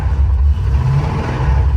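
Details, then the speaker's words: 1970 Dodge Super Bee 383 V8 on its last drive before front-end upgrades, after some hesitation: heavy, lumpy low rumble that never settles into a clean beat; the owner jokingly calls it a blowing-up 383, but the exact fault is unclear. "so you want to hear what a blowing up 383 sounds like hey let me just video huh doing of a blowing up 383 can you hear"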